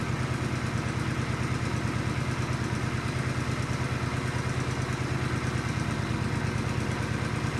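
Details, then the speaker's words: Countax garden tractor single-cylinder engine revived after sitting: even, quick thump at steady idle with no knocks or rattles, running smoothly and healthy. "Well, how about that? That sounds really nice."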